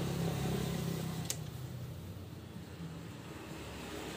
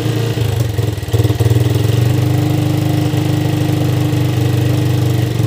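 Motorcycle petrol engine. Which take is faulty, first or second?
first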